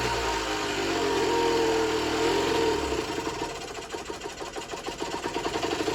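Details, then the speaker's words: Generic Trigger SM 50cc two-stroke on a temporary fuel tub with a stiff old throttle cable: buzzes, then falls into a lumpy pulsing beat about four a second, near stalling. Owner suspects an air leak, later found around the intake manifold, plus blocked jets. "It's not running 100%. Let's try it again. It's not running too great. I think she's got an air leak."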